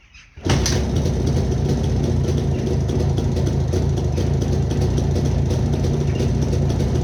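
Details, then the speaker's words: Jawa 360 two-stroke with AR-3 rotor ignition/generator, rotor 3–4 mm misaligned with windings, giving just over 6 V at idle; brief crank, catches into even steady two-stroke beat with no misses, crows in background; engine runs fine. "Vape ei ole kõige paremini oma rootori ja mähistega joondus, aga mootor läheb tööle, hästi töötab, tuled ka mingisugust töötavad, kuigi ta ei anna tühikäigul nii palju voolu välja, kui oleks vaja, et tühikäigul mõõdetud natuke üle 6 voldi pööret ja natuke rohkem."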